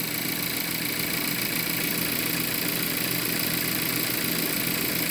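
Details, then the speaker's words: 2017 or 2019 (stated both ways) VW Jetta 1.4 TSI at idle during a tune-up: a light, fast metallic rattle, about two or three ticks a second, that the owner says has been there since purchase; he suspects the turbo, like something spinning and knocking. "Anybody know what that rattle is? That rattle's always been in this engine since the day I bought it. Might have something to do with the turbo."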